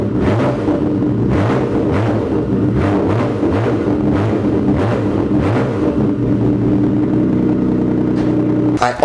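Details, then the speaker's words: Nissan Skyline GTR R32 with a freshly refitted straight pipe: loud, raw, lumpy steady idle with no puffing or hissing at startup; exhaust joints appear sealed, no leak. "I'm sure you guys just want to hear it so it's on that straight pipe you boys on nice and tight I'm gonna give it a quick startup make sure there's no leak"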